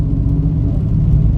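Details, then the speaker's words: Mitsubishi Mirage: heavy, deep throbbing rumble appearing when speed and RPM rise, like a helicopter under throttle; mechanic believes the transmission is damaged, mildest possibility a worn mount, to be inspected. "Pagka na-revolution mo lang eh, kung saan bibilis ang sasakyan at saan tataas ang RPM, saka siya gagana. Pero sa sistema na to may tama transmission"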